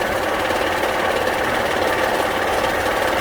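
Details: Honda Pilot at idle, oil and coolant levels fine: steady rapid knocking, two or three beats a second, deep in the bottom end; oil-pan listening suggests a bearing, judged internal and engine done for.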